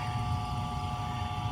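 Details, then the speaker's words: Septic tank aerator air pump, noisy motor replaced, running: steady even hum with clear constant tone over low rumble, no knocks or rattles; it cycles on and off aerating the tanks; normal running. "What that does is pumps air into my tanks and stirs up the toilet paper and the poop, and then turns off, and everything settles to the bottom, and then turns back on and does it all over again."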